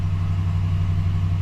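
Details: 2012 Ram 1500 idling after oil change, oil pressure at mid-gauge: steady even low hum, no knocks, ticks or hunting; idling smoothly and healthy.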